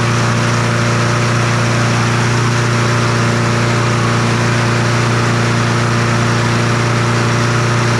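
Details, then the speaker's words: Troy-Bilt TB200 push mower, Briggs & Stratton 550E 140cc engine, dark oil, before service: small engine screaming at a steady, too-high speed with a slightly uneven beat; running rough, revved far too high. "I don't know why that thing was revved up so high"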